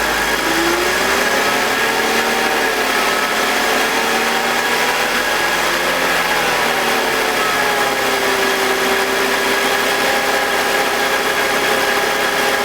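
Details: BMW E46 with M52TUB25 engine at idle, intake VANOS disconnected: smooth even hum, no grinding or scraping, no RPM drop. Owner suspects the VANOS causes a grinding noise, worse at startup, heard when connected. Normal idle.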